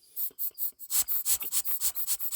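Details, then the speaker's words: 1999 Chevrolet Tahoe 5.7L, EVAP purge valve removed from intake manifold and sucked through by mouth: string of sharp airy puffs with no blocking; purge valve stuck open, replaced with new valve that seals. "that valve is wide open and it should be blocked"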